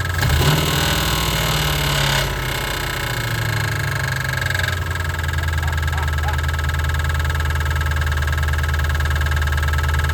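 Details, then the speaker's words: 1988 Ford Mustang GT 5.0 V8, carbureted after EFI removal, Duraspark distributor, factory headers, just reassembled and restarted: rough idle with uneven knock about three beats a second over heavy low rumble. "I swear it's like it's like a bear. It sounds weird. I don't know. I'm not an engine guy. But I just knew that the lifter was gonna be it."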